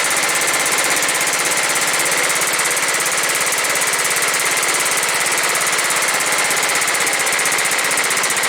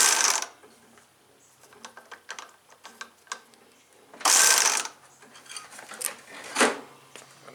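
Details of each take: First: John Deere STX38 with a Kohler Command 13 hp engine that did not run, after cleaning and refitting the housing: a steady, even, fast putter with no misses or knocks; the repair fixed it. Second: John Deere STX38, Kohler Command 13 hp engine: short whirring bursts and loose clicks from the starter, engine never turns over; drive not engaging; owner says the spring popped loose again, suspects a loose clip.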